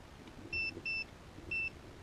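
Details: HEXA hoverboard powered on after opening it to check a rattle and reassembling; three short, clean high beeps in quick succession over quiet background; normal power-on beeps.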